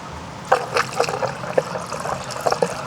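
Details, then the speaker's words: Filling the new methanol tank on an LSA-supercharged Chevy Caprice PPV from a 5-gallon can through a regular funnel: steady trickle and gurgle, no glugging or backing up the fill tube, so the tank vent is adequate. "hear her taking it down, no problems. I mean, it ain't even backing the fill tube up right now."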